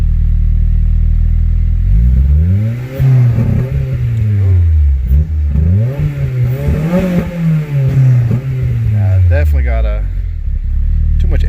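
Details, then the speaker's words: Acura RSX with swapped ECU/immobilizer: bouncing low idle, revs sag and nearly die when pedal pressed, then recover; stumble on tip-in, vacuum leak or throttle suspected, unconfirmed. "I'll floor it. I'll put my foot on the pedal. See, it wants to die."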